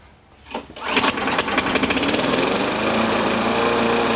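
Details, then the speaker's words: MTD Yard Machines push mower with blade removed, first start: uneven hunting beat about four pulses a second, trying to over-rev; owner suspects too much governor tension, carburetor was full of oil and junk and needs cleaning. "sounds like it's got a little too much tension on that governor sounds like it's trying to over rev now that soldier was full of oil and junk"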